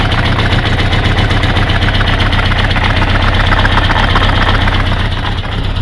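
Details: Kawasaki GPZ550 after a head gasket replacement: sharp, even clacking about four times a second over a rough idle, starting three days later; rocker timing was reset and the cam chain is tense, so the cause is unknown.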